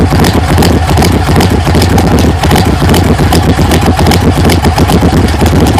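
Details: 1980 GMC Sierra C15 with junkyard L31 Vortec 350 (9.5:1), Summit K1107 .488/.510 lift cam, Performer RPM intake, 600 Holley, Flowtech headers, Thrush mufflers; cold start, loud uneven loping idle, heavy chug about two-three beats a second, mic clipping; lopey idle from aggressive cam.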